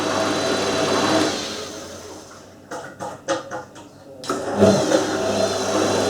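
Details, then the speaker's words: Hotpoint 9530 washing machine test on rinse hold after new carbon brushes and a new cold solenoid valve: steady, even motor hum with the drum turning, a short pause with light clicks, then the smooth run resumes. Normal. "that's rinse hold actually isn't it oh it sounds great s like a"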